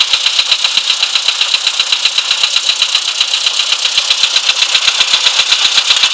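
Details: VW Polo sedan, CFNA engine, cold: sharp even metallic ticking about four per second over the idle; engine knock when cold, cause not identified.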